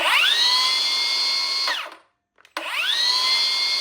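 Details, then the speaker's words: Milwaukee M18 FPS55-0P track saw, fully charged battery, spinning freely with no load at full speed, no dust extractor: blade whines up quickly to a steady high pitch, winds down and spins up smoothly; healthy. "deo with the saw spinning freely under no load so you can hear what the blade sounds like when it's at full speed."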